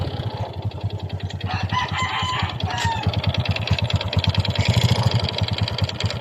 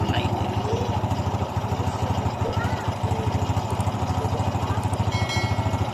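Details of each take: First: Honda XRM 125 single-cylinder that ran dry of oil and makes white smoke, idling; hollow rapid knock from the cylinder, piston slap from a worn loose bore, louder when revved. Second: Honda XRM 125 after rebore and new piston, fixing piston slap and white smoke: steady single-cylinder putter at idle, firing evenly with no knocking or slapping.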